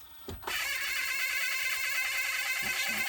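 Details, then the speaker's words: 1982 Panasonic NV 366 VHS recorder, four-head drum, with old bad belts, tape inserted and powered on; thin steady motor whir with faint pulsing and no clunk of engagement; mechanism lacks torque to engage. "let's put the tape in turn it on sounds like it's not got enough torque to actually engage so"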